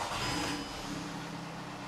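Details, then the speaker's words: 2009 VW Golf 1.4 petrol, first start after an oil and filter change, not revved: it catches with a brief flare, the oil pressure light goes out, then it settles to a smooth, even idle with no knocks or ticks. Healthy idle. "which it has all sounds good and you don't need to rev it"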